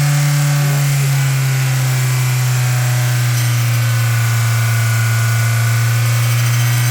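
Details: Mazda Miata at 3800 rpm: steady high-revving drone with a fine metallic rattle/buzz from an exhaust heat shield with a broken weld; fixed by clamping the shield tightly with a 4–5 inch stainless steel hose clamp.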